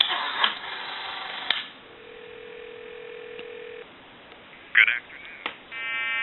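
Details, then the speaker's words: Western Electric 302 metal-body telephone after repair, calling a time-and-temperature line: between dialing clicks a steady mid-pitched tone holds about two seconds, a hum from faulty far-end recording equipment, not the phone. "Now, they are having problems with their equipment, and there will be a hum. The recording will start, and then you'll hear a hum, and then the recording will continue."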